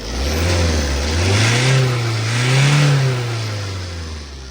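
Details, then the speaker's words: Tata diesel pickup after fixing wiring and replacing the ECU and high-pressure pump, two revs run smooth and even; knock gone, no fault codes. "เบิ้ลไม่มีเขกแล้วนะแล้วก็โค้ดไม่มีในกล่องนะฮะ"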